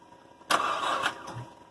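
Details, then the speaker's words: 2005 Hyundai Santa Fe 2.7 V6, standing seven years, fuel line replaced, cranked on a weak battery with small jump leads from another car: one short cough under a second, then it dies; brief cough, no start. "was a little cough should give it a minute"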